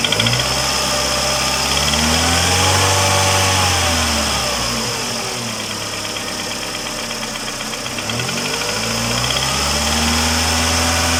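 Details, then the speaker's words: Mercedes A140 (W168) revved after replacing the ticking hydraulic lifters. Engine climbs and falls through clean revs with smooth pitch changes and no top-end ticking; normal revving, lifter noise gone. "как бы мотор нормальной работы попробую погазовать"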